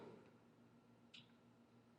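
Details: Torque wrench tightening the oil cover bolts on a 1985 Honda ATC250ES Big Red, held by the handle for accuracy: a single sharp metallic click near the end in a quiet room; the wrench broke over at its set torque as intended.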